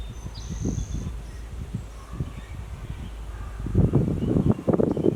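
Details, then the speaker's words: One-owner 1972 Chevy G10 van with a 307 small-block V8 and automatic, sitting since 1997, now on a new fuel pump and fresh gas and drawing fuel. It runs rough with low, uneven thumping; the owner suspects a massive carburetor vacuum leak. "it's actually sucking fuel out of the tank works pretty okay cranks over fine I think it has a massive vacuum leak on the carburetor"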